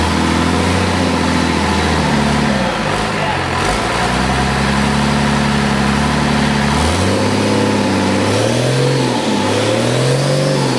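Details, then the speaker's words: Cummins diesel junkyard engine, long sitting with injectors stuck, first run on starting fluid: loud revving up and down with uneven wavering note; rough first run, then running on all six as smoke cleared. "sounded pretty good it was running on all six yeah fired smoke cleaned up after about a nanc what the starting fluid not fuel been sitting so long the injectors were all stuck on it"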